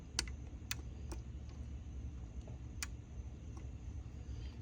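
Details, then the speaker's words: Relay on the main board of a GE front-loading washer (GFW650SSN0WW) that shuts off mid-cycle, tested with a magnet on its coil: faint, irregular sharp clicks, about six in five seconds with uneven gaps. The relay chatters instead of pulling in cleanly and needs replacing. "so when you put the magnet next to it you'll hear it click okay this one is having major issues clicking and these are heavy duty magnets"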